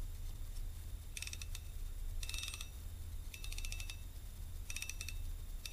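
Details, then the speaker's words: Restored fishing reel, cleaned and greased with Corrosion X; even bursts of fine rapid drag clicking about once a second, crisp and regular, a smoothly working drag. "smooth drag a perfectly smooth trip yep this puppy is good for a second life"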